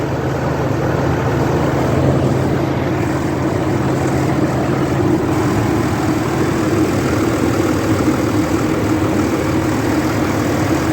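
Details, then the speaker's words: 2003 Dodge Ram 3500 dually diesel idling as it starts to warm up, after a new gasket at the back corner that previously leaked oil: steady low rumble, even clatter, no misses; normal idle. "Wonder if it'll warm up. I'll let it run for a few minutes and see what happens."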